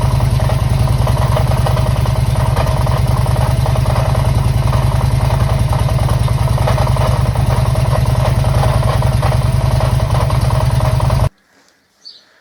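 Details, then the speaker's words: 2005 Harley-Davidson Electra Glide V-twin at idle, warm, restarted after a roughly 200-mile ride when the noise suddenly began. Loud clatter ticking in time with the firing beat. Worn hydraulic lifters, which were then replaced. "That noise, it didn't do it at the bottom of the drive, it hadn't done it all day, just started when I started it back up outside the garage door. I've come across this noise before."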